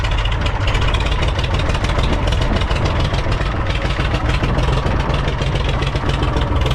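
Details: International 454 British three-cylinder diesel tractor that missed when first started, running in neutral with the air filter removed: deep, steady idle chug with even beats and no skips. Normal idle; a dirty air filter caused the miss.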